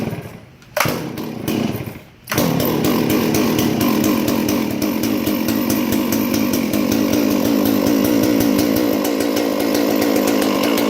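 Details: Stihl MS 461 chainsaw crushed by a rolled log, carburetor unadjustable: after a couple of blips it settles into a strong, even high-rev buzz that holds without sagging; still runs well.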